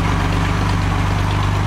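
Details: Classic Mercedes-Benz 230SL Pagoda W113 six-cylinder started from cold, in park with the handbrake on, heard at the exhaust. Smooth, even idle with a steady low pulse and no misses or tapping; slight water from the exhaust, little smoke. Normal warm-up idle.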